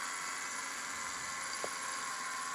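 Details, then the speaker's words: 2011 Subaru Impreza idling, listened to with a stethoscope at the belt pulleys before replacing the belt and idler pulley: steady high-pitched whirring hiss with a faint thin tone, super loud; a worn idler pulley bearing is suspected, possibly carried between pulleys. "you will hear the bearing on those pulleys anyways i'm hearing a lot of noises already there you go super loud right there"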